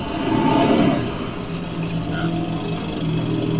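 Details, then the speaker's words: Motorcycle with seized piston, revived without replacing damaged parts, piston and cylinder fused: coarse, uneven running with ragged rhythm when throttle blipped; rough due to internal cylinder damage. "ini motor sudah hidup tapi dari segi suara ini ini agak kasar ada kasar ya maklumah masalahnya seer sama silinder kan jadi satu"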